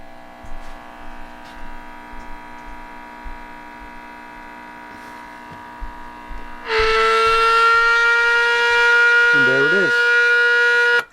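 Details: RCA Victor 12X2 radio power-on test after full recap, audio frequency signal injected at the last audio stage: after quiet hum, a steady clear test tone through the speaker with a brief wobble; audio stage passing signal.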